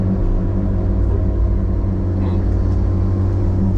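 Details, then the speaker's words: Log loader (635) back after a fire and no longer pulling: a deep steady growl with a low buzzing drone that can be felt, like a rotating bearing; growl, origin unconfirmed. "I got something growling on this thing here. I'm not sure what it is. Something is growling on this dude."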